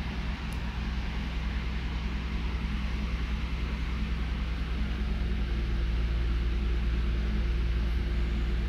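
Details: Toyota Avalon at cold idle: low, uneven stumbling misfire that mostly disappears when warm. Scan shows a cylinder 1 misfire count after restart, and the cause (spark plug, coil or injector) is unconfirmed; an oscilloscope showed a weak injector pintle hump.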